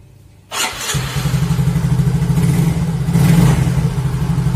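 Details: Yamaha Mio Soul GT (YMZ FI) sitting a week, after a battery recharge and repair of a dead fuel pump: catches after a brief crank and settles into an even, steady putter, rising slightly with throttle; normal start and idle.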